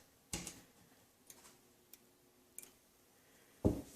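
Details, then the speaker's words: 1940s fluorescent shoplight converted back to preheat with a roughly 42-year-old ballast: sharp dry clicks every second or so as glow starters strike the lamps; normal preheat starting, close-up. "Nope. There they go. These are very vocal starters. Let me get up next to it here so you can hear it."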